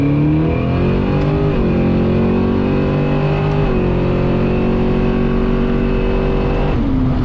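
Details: Drag car recently switched from E85 to 91 gasoline to troubleshoot a running issue, revving hard: sounds flat and stops pulling cleanly near the top; suspected high-rpm misfire, ignition troubleshooting, cause not confirmed.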